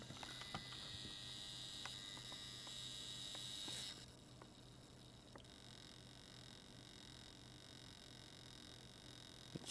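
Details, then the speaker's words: Xbox One X console power supply sizzling with a thin high-pitched whine and faint crackling ticks as soon as it is put under load; failed bulk (roughly 420–450 V) capacitor in the power supply suspected, board fault considered unlikely. "as soon as it gets put on the load it starts sizzling so yeah that's going to be the issue with this one"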